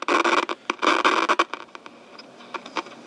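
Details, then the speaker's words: Grundig Micro-Boy portable radio from around 1959–early 1960s, as received: its internal speaker is dead, so it plays through an external speaker box at fairly low volume. Harsh crackle and scratch cut in and out over a faint, thin signal; the cause is unconfirmed. "It does play one on the speaker box, or at least it was, but at fairly low volume, and it's quite scratchy, as you can hear."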